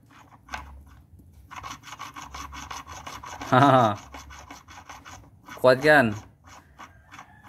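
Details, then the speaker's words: Perodua Myvi manual gearbox, opened up, bearing turned by hand: a dry rasping rub with two short squeaky bursts. The harsh noise stopped with the clutch pressed and returned on release, because the gearbox spins when the clutch is released; rough, worn gearbox bearing. "itu Yang saya maksudkan bila kita tekan kelas dia akan berhenti jadi Biarin ini tidak Berjalanlah bunyi itu tidak akan berbunyilah jadi bila kita lepas kelas ini akan pusing semua nih bayangkan dia bunyi lagi"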